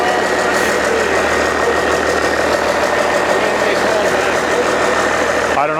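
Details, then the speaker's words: Old 12-valve Cummins diesel stored for almost a decade, first start after freeing a seized fuel solenoid, not hooked to anything. Clatters at a fairly steady but off-set idle with a faint whine above; runs, idle not set properly. "oh [ __ ] idle's not set properly either that's alive actually doesn't sound"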